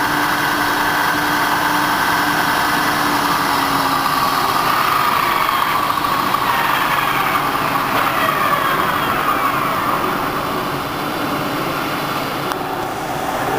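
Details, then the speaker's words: New-1989 Sharp 24" x 120" geared-head engine lathe at its highest spindle speed, 1200 RPM: even, steady gear whine near 1 kHz with smooth airy hiss and no knocks; headstock runs cleanly, normal. "This is the highest spindle speed of the sharp lathe. .1200 RPM."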